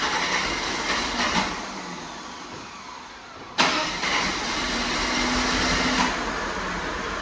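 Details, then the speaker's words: Hot Mercedes W124 cranks several seconds before catching and settling to idle; hard starting when hot, owner suspects leaking fuel injectors or failed accumulator, undiagnosed. "So now I get to enjoy starting my 124 with presumably either leaking fuel injectors or a failed accumulator, because it's rather difficult to start now when it's hot."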